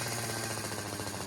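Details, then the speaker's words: Weed eater two-stroke engine after replacing three gas lines, which was all it needed. It now buzzes along steady and even with no stumbles or surging; normal running. "all it needed was three new gas lines I don't show a video of me putting them on it's really simple but that's all it needed now it runs as you can"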